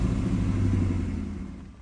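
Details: 2000 Ford Mustang GT V8 with 68,000 miles, long sat unused: deep, even rumble dropping smoothly as the revs fall, with no knocks, ticks or misses. Healthy rev; a worn AC compressor clutch squeaks separately.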